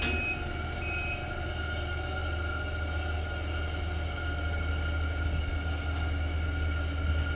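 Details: HDB residential lift after repair following a breakdown: loud constant low drone with rough rattle and whine while travelling, far noisier than normal.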